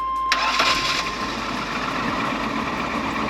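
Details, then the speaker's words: 1999 Chevy Astro van, 100k miles, lifted AWD, after replacing distributor with corroded cap for crank-stumble no-start: short crank catches at once into steady even idle, no misfire; normal start after repair. "Yeah. All right. Back in business. Hopefully don't have to do this again for a long time."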